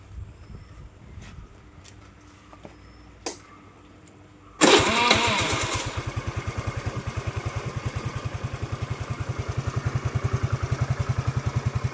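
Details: Suzuki Let's scooter with starting complaint, CDI from Suzuki Access fitted with rewired connections: brief starter whir, engine fires and settles into regular even putter; starts and runs fine.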